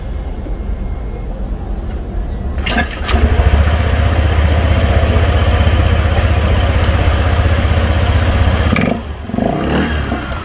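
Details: 2020 Honda PCX125 after valve clearance adjustment (intake 0.1 mm, exhaust 0.24 mm), fixing poor cold starting and stalling at idle: starts first try, smooth steady low idle without stumbling; normal.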